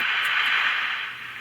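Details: Magnavox AM-80 transistor radio: steady hiss and static with no station, though a faint voice seems to come through now and then; a transistor isn't getting warm and the cause is not yet found.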